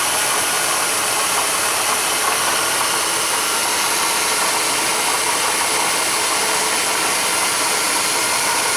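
Constant gritty scraping whir sits over the idle without letting up; that's a worn water pump bearing, pump needs replacing.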